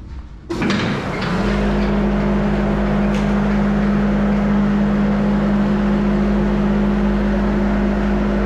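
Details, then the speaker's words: Van Dale silo unloader being set up in a silo after greasing and oiling: a clunk at start-up, then a steady, even hum with no grinding or knocking as it runs its rounds smoothly. "i got the power hooked up so we're gonna fire it up let it run around a little and level things off and get it set make sure it's working like it's supposed to"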